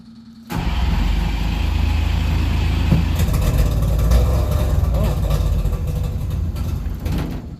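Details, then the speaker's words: 1963 DKW, smoky, running without a muffler or exhaust, first start attempts in the shop: catches abruptly, runs with an uneven low burble for about seven seconds, then dies; sounds better than before but won't keep running. "Oh, it's not going to run. It's smoky, but it sounds a lot better."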